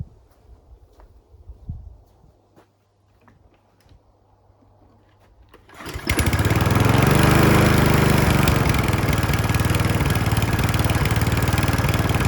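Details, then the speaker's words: Mountfield RV40 150cc 45cm mower, micro switch set then cord pulled: catches first pull and settles into steady even run, no hunting or surging; normal running. "So as you can hear, it started at first time."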